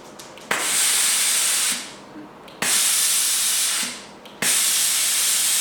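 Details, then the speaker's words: Braun generator steam iron after clearing limescale blockage: three strong, even steam hisses with quiet gaps as pump refills the pressure vessel; pressurising and venting properly, fixed. "that's spot on. That's working again."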